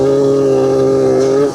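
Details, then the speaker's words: Warm Piaggio Typhoon scooter, carb air screw turned too far out; flat buzzing note that won't rev up clean, then fades; bogs and barely wants to move, too much air, lean. "Already that was a bog. Did you hear it? She's not revving up clean. Boom, boom. She's bogging. She's going bop, bop. That's a bog sound. Too much air is what that means."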